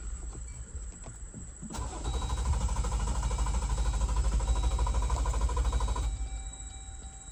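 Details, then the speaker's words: 2018 Jeep Wrangler JL Sahara 4WD 3.6L V6: starter spins the engine at an even, rapid rhythm for several seconds but it never catches; cranks but no start. "All right, so as you can see, it was simply just cranking."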